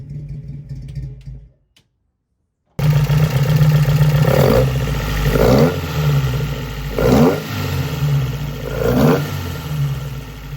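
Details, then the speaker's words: Alfa Romeo GTV race build, stainless large-diameter straight-pipe exhaust with one muffler ahead of the rear axle, untuned before dyno: engine fires into a deep loud even idle with four clean throttle blips; healthy, loud open exhaust. "So, I think it sounds good. It's I mean, it's loud. It's just It has one muffler in front of the rear axle and pretty big diameter straight pipe stainless steel."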